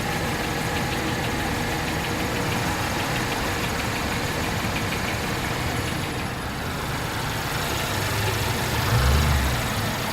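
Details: 2017 Infiniti Q50 2.0t at idle: light quick ticking about three per second over the engine note, started after the first oil change; knocking/tapping source not found.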